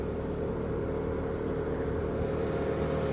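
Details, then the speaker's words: Car with engine off, ignition on, radiator fan switched on via OBD2 scanner actuation test: steady even whir with constant low-mid hum, no ticking or scraping; electric cooling fan running normally. "If we want to switch on the electric fan here, activate up to a maximum engine of 90°. So, the fan has been activated. Perhaps you can hear it."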